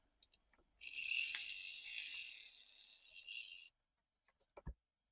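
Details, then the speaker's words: Triang 0-4-0 model train locomotive during servicing: small motor spins with thin high-pitched crackling buzz, heavy sparking at the brushes; owner suspects bending the brush holder back may help, poor connection in one direction. "So it works, but it's sparking a lot, so maybe bend the brush holder back a little bit."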